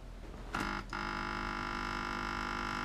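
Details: Australian-made (believed) 12V 8A car battery charger makes a loud, harsh, steady electrical buzz, and its output reads only about 4V and falling.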